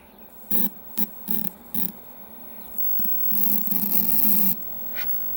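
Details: 1965 Zenith 13M15 portable black-and-white TV, barn find, powered on with cover open: short sharp buzzing crackles in irregular bursts over faint hum, then a longer sizzle; high-voltage arcing, owner suspects a gassy tube.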